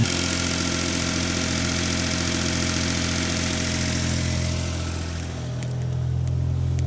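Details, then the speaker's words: 1991 Daihatsu Mira van cold start after oil-soaked ignition parts replaced and fuel system primed: steady, even idle with a smooth low hum and one brief dip, slight smoke at startup; healthy idle. "It was a little smoky at the startup, but this is how it's supposed to be. It's a cold start."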